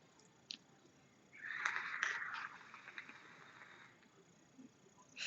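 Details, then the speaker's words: StattQualm SQuape X[dream] atomizer during draw: with the airflow ring closed down, a breathy whistle near two kilohertz holds about two seconds; closed airflow whistling. "contre dès qu'on referme il fait un bruit il Siffre il fait il fait du bruit quoi"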